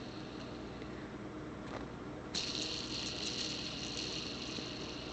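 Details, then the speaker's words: Bearing from a General Electric universal motor out of a World Model A hand dryer, spun by hand on the bench after solvent cleaning with no grease: a dry, hissy, rough whirr; it needs repacking with grease. "as you can see they spin nicely now a little noisy obviously because there's no lubrication on them"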